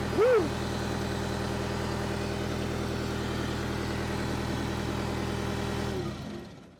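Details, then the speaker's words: Power Trac PT 1850 with a Deutz diesel engine at 168 hours: an even idle with no knocks or misses for several seconds, then it winds down and stops. This follows an attempt to move with the hydraulic plug open; the engine is healthy. "we have a Deutsch Engine with 168 hours that runs now"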